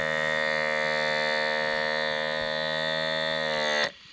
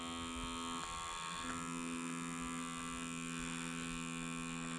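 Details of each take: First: Small diaphragm pump for water and air on a 6 V power supply, driving a syringe piston: steady, even buzzing hum at constant pitch until it cuts off; running normally. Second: Small pump driving a 3D-printed reversible air valve to a syringe piston: steady small-motor buzz with a fixed tone, no change under load; leaks in the system keep pressure too low to overcome the syringe's rubber seal.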